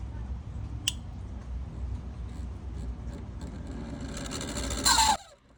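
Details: GE refrigerator not cooling: start device clicks, quiet hum, then louder buzzing snap that cuts off; compressor fails to start, compressor fault indicated, not grounded.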